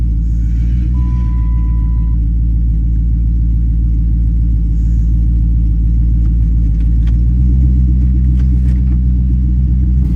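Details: 2010 Dodge Charger running after replacement of damaged heads: a deep, steady low rumble at an even pace with no ticking or knocking; it runs smoothly and sounds healthy.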